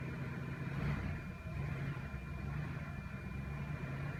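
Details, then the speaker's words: 2005 Cadillac DeVille misfiring badly, likely on one or two cylinders, after a cam sensor/PCM relay reset: low, uneven thumping idle, beat wavering and stumbling; owner later hears a vacuum leak, cause unconfirmed. "let it sit for a moment we'll try it again it's still thumpin"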